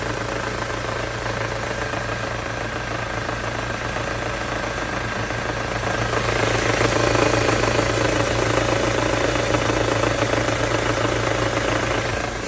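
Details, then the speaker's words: Ford Mondeo 4 2.3, idling with the AC on: a steady light knock about three per second, loudest between cylinders one and two. Cause unknown. "Слышен звук самое большее между первым и вторым цилиндром."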